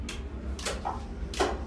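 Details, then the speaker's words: Mud Buddy boat motor during a final factory check, engine off: a few dull clunks about half a second apart as the lever shifts the clutch between forward and neutral, normal clutch engagement. "turn find out to hear that clicking that's the clutch that a forward clutch words a neutral the big clunk"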